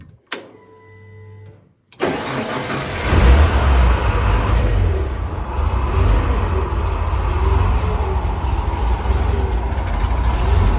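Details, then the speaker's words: 1970 Ford F100 with makeshift exhaust from donor truck: cranks, catches, then loud slightly uneven idle with irregular exhaust beat, rougher than before; MAP sensor noted missing its vacuum reference. "okay so as we're running it now that I can hear it I noticed that it's got a rough idle to it at least a little more rough than it was"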